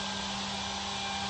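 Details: Webasto Airtop 2000 parking heater being fitted in Citroen Ami, just switched on, temporary fuel tank: steady fixed-tone low hum over soft airy rush; fan spinning evenly, normal.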